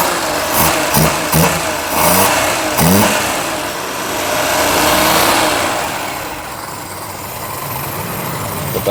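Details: Ceria carburetor after adjustment, revved gradually past 1000–1500 rpm: engine picks up smoothly from idle to higher revs and settles back without stumbling or popping; normal revving, carburetor set right.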